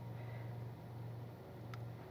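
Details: Car with an engine vibration problem, idling in neutral with the AC off. Very quiet, steady low hum with no shudder or knocking, much smoother than before the repair.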